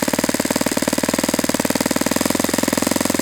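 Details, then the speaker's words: Saito FA-91S model four-stroke glow engine on a test stand during needle tuning, target idle around 2300 rpm: rapid, even firing with a brief speed lift on the pinch test that settles back; mixture responds properly, good transition, healthy idle possibly slightly low. "Let's see if it wants to sit here like this for a while. That might be a little bit lower than it really wants to sit at, but I l"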